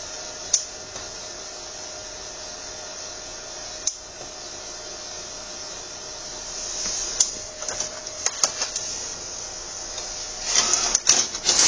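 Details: HP Designjet 130nr, about a year old, standalone with no network and no roll feed: after start-up checks the printhead carriage jams at the far left with loud clunks; prior internal fuse faults.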